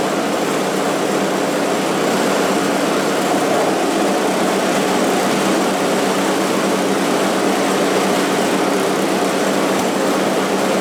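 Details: Scrap-heap snowblower after its sludge-filled carburetor was cleaned and the jet flushed with carb cleaner: a constant, unbroken single-cylinder roar holding one speed, with no stumbles or rattles. It is a clean, healthy run.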